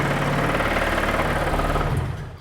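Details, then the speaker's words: Honda K-series car with a twin-disc clutch on a low battery: low, lumpy idle with a dull rattle under the exhaust note before it dies away, taken as twin-disc clutch rattle. A rod knock was suspected soon after. "It sounds like a race car with that twin disc."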